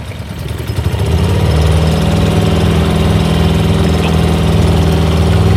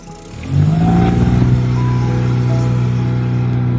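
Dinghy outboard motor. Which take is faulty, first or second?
first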